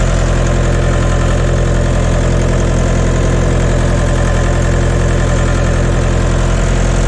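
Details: John Deere 2030 tractor diesel just after refitting overhauled, calibrated Stanadyne/Roosa Master injection pump, cold day, not warmed up: loud steady idle clatter firing evenly about 2.5 times a second, burning clean with no blue smoke.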